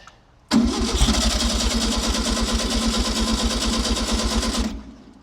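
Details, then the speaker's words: 1964 VW Beetle sunroof, unstarted nearly 20 years, on temporary 12 V with coil cable-tied: steady starter churning with even compression pulses, never catches; cranks without firing, filthy carburetor suspected. "So, the Beetle is still on the side of the road. Um I think the carburetor was the issue."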